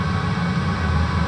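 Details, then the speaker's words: 5 kW diesel heater installed under the kitchen of a 28 ft motorhome, replacing the LP furnace, running after it threw a code and lights were used to drop voltage. Low, steady, even hum and fan rush with no ticking or surging; fairly quiet. "once it runs though it keeps a constant drain on the battery so it doesn't allow the battery charger to overcharge the system so I've got a that's it's fairly quiet"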